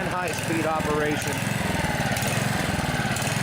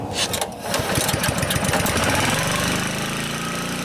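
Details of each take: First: Honda HR215 HM lawnmower, warmed up, hard to start and running only on choke: the engine's beat swells and sags about once a second at both low and high speed. Fuel-starved surging, traced to a plugged carburettor slow jet. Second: Honda HR215 HM lawnmower that was surging, after the carburetor slow (idle) jet was cleared and the idle screw reset: pull start, then a steady, even warm idle with no hunting; the fault is fixed.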